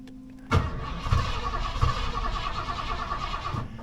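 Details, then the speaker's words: 1989 Ford F150 cranks about three seconds with a steady chugging rhythm but never fires; cranks but won't start, which owner says usually starts right up after one shot of ether. "Now, do you hear how it went? Well, that's it trying to crank, but not cranking."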